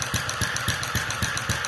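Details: Restored Centaur model engine with electronic ignition and fuel injection at normal running speed around 900 rpm: sharp exhaust knocks, uneven in spacing and strength, plus gas valve clacking. Uneven firing predates restoration; mixture and timing changes don't help; owner suspects combustion chamber design or governor instability.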